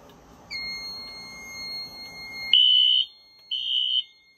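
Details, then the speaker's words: 2000s Wheelock AS fire alarm horn on Fire-Lite MS-9200UDLS panel, panel unplugged: two loud steady blasts, no longer wavy in pitch. "you can hear it doesn't sound wavy anymore"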